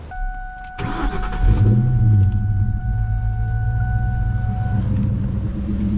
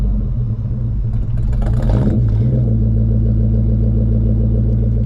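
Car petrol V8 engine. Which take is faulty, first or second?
second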